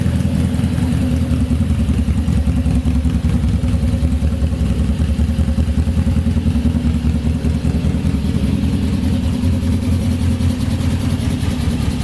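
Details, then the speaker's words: GS750 four-cylinder cafe racer first fired up with its new custom exhaust, before dyno tuning, carb jets only a guess so far: a steady, deep, even burble at idle with no knocks or misses. The engine is running cleanly. "Okay, wow, it all works and we got it to run, which is sick. Sounds so cool with this exhaust. That was the first time I was able to hear it fired up after making that new exhaust, so it's nice to know that everything works."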